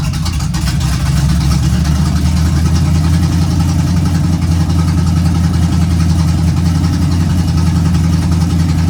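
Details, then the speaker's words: 1951 GMC cab-over truck after first start and temporary vacuum leak fix: deep, even idle holding a steady low rumble with no misses or knocks; runs good. "Cool. So she runs. Runs good too."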